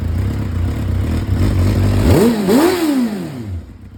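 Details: 2004 Suzuki GSXR600 after sitting 5+ years, bad fuel vacuumed out of the tank: engine runs steadily, revs blip up and settle without misfires, sounding healthy.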